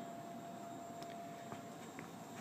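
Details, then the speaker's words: Theater orchestra-pit organ lift being lowered to seating level by its electric, non-hydraulic mechanical drive motors: steady, quiet hum with a faint high whine and no knocks or grinding; healthy motors. "if we want to take just the organ lift down and push that button and you can hear the Gentle Wind of the motors this isn't hydraulic this is all mechanical"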